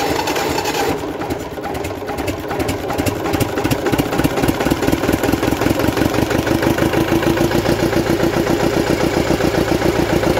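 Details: Gardner 4LW diesel with cracked head repaired, after bleeding air from fuel system via bleed screws: slow cranking catches, then settles into an even, solid diesel beat with no knocks or misses.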